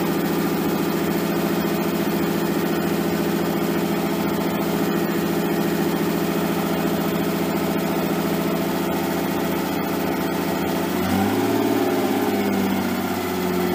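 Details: Nissan 240SX S13 with swapped RB20DET, first start after over a year sitting: smooth, steady drone at raised speed with a brief throttle blip near eleven seconds. Idle speed is way too high and AFR unset; possibly burning a little oil.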